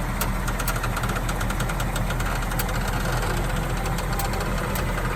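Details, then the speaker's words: 2019 Ford Mustang GT Premium Convertible at idle, steering turned lock to lock, noise began after swapping winter wheels for summer wheels: light irregular ticking and faint grinding/scraping tink; cause unknown, dealer thinks they've found it. "so when the car came down it was making a noise a weird grinding scratching noise a tink tink tink noise when you turn the steering from lock to lock turn it right"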